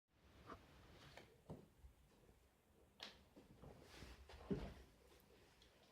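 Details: Bike rear shock, suspected CCDB inline failure: dull, irregular knocking as suspension is pushed through its travel; cause suspected, not confirmed.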